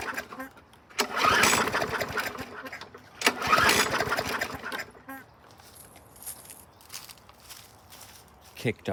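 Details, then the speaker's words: 2011 Yard Machines mower, low on fuel, primed with the primer now pushing fuel: two short bursts of firing, each dying after a couple of seconds; starts then stalls. Water contamination in the tank or pickup bowl is suspected, and the filter is dry-rotted. "off there for a second let's juice it you may have a little uh water contamination in the tank or the water gets in the pickup bowl there in the top of the gas tank"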